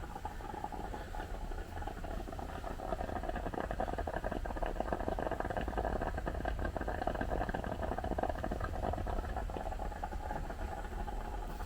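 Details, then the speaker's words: Restored Reading & Northern T-1 steam locomotive 2102 warming up at about 195 psi (max 240 psi), cab: steady low bubbling and patter, no knocks or hiss bursts; normal boiler gurgling before departure. "And the crew told me she's still in a bit of a slumber. She won't be leaving for Reading for about 16 hours still. But she's still warming up. You can hear like a gurgling here."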